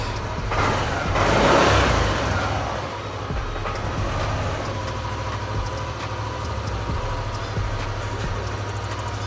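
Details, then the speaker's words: Yamaha Aerox-type scooter after throttle body cleaning, with the ISC wedged by a 5 mm hose: a short throttle blip, then a low, even idle that holds without hunting; idle RPM is normal. "Sekarang, mari kita nyalakan untuk memeriksanya. Nah, RPM-nya normal,"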